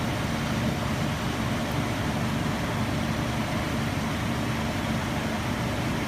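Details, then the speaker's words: 2003 Nissan Frontier 3.3L V6, 5-speed manual, 170,000 miles, after new distributor cap, rotor button and plug wires: even, steady hum over rushing background, no lumps, stumbles or misfires; no longer lumpy, smooth healthy idle. "Man, that sounds a lot better. Like it's supposed to. Yeah. It's not lumpy like it was."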